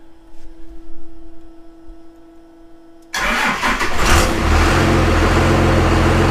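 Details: 6BT Cummins diesel swapped into a Jeep, turbo boost not yet hooked up, alternator now charging: quiet for three seconds, short crank, then catches and settles into an even, steady idle; sounds healthy.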